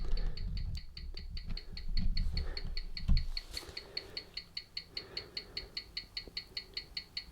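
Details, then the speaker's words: Old wind-up mechanical watch that ran about 10 minutes fast an hour after a drop, after demagnetizing: crisp, even ticks at 18,000 beats an hour (five per second), now 83 seconds a day fast, amplitude 255 degrees, beat error 0.7 ms. "excellent 18 000 so that's going to be five beats a second and there you go we've got a time now so it's 83 seconds fast a day"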